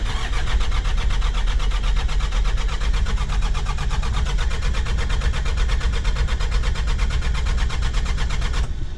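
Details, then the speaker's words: Old Mitsubishi Pajero diesel, glow plug preheating not working, cold start without preheat on fully charged battery: steady starter cranking about two beats a second for nine seconds, never catches; glow plugs suspected dead. "so probably the glow plugs are out so I will now try to start it without any preheating and see how that works now full charger battery national let's try started"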